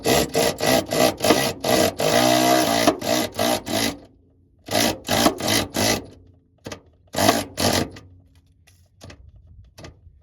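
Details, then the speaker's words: Power ratchet running in exhaust flange bolts on a 2015 Buick Verano Ecotec during P0420 exhaust repair; bolt pops and binds because the aftermarket exhaust flange is misaligned. "You see, you hear the popping that we're hearing on that bolt? You're not supposed to have that popping. It's because this exhaust is not right."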